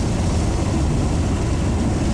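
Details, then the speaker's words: 1995 Honda Civic EJ coupe, quick pull after packing cheap eBay muffler with fiberglass insulation to cure rasp near 4,000 rpm: deep even exhaust drone with no raspy edge; rasp gone. "I didn't hear any rasp during that quick pull. I'm pretty impressed with the outcome of this cheap little project I did."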